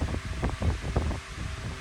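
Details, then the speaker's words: Lakewood 9-inch high-velocity wind machine fan on low speed, after a failed attempt to balance the blades: deep, uneven, wobbling whoosh, louder than before. Fan blade imbalance. "The blades are definitely still out of whack. I don't know if I made it worse or not, but really hear it now, it's pretty much more louder"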